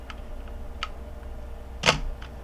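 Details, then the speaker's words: Minolta XK camera in auto mode, lens at f1.4 with camera choosing shutter speed: single crisp shutter snap, almost no gap between opening and closing; quick exposure, normal shutter release. "could hear that was a pretty quick shutter speed."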